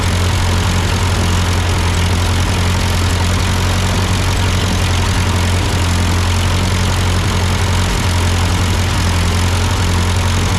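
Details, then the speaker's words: Ford 8N tractor idling after an amateur carburetor adjustment. Uphill sputtering had been traced to a cheap Chinese replacement carb; an old Marvel-Schebler ran fine. Steady, even idle beat with no misses, hunting or stalling; seems to be running well, a normal idle. "sounds good okay all right that's my amateurish attempt to try to kind of adjust this carburetor to this tractor"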